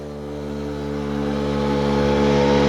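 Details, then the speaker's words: Puch Maxi two-stroke moped, first ride after 14 years unused, accelerating from about 23 to 42 km/h: crisp buzz climbing smoothly in pitch, firing evenly without misses. Normal running. "We drive 32, 34. 37, 38, 40, 42. Hey, man, this thing is going really well."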